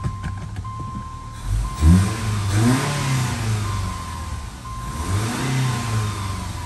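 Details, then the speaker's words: Subaru Outback whose engine had failed catastrophically and sat disassembled for years, first run after reassembly; clean rev blips under load, smooth and even with no stumble or skip, running healthy. "okay we're getting somewhere it's not leaking leaking it's not skipping let put a load on it oh yeah oh that's the stuff"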